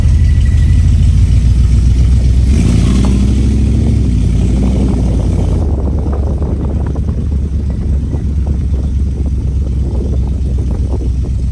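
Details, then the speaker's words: 1970 Dodge Challenger V8 driving after carburetor adjustment and tune, new spark plugs and a checked firing order, low on fuel. Deep even note pulls smoothly with throttle, then settles steady, no stumble or skip; misfire fixed, running normally. "She's running fine right now. I'm going to do another circle over here."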